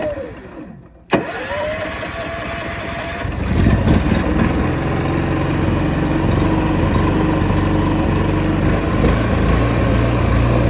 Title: Champion 11,000 inverter dual fuel Rough idle right out of the box. Lopes and won’t idle smoothly.